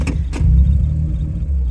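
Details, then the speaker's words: Autozam AZ-1/Suzuki Cara small petrol kei engine on a Keisport plug-and-play ECU, warmed up on a cold day: a throttle blip picks up and drops cleanly back to a steady idle, not as smooth as stock; idle hunting persists when colder. "I just blipped the throttle again it's perfect um it's not as smooth as stock but it's pretty good for what this is"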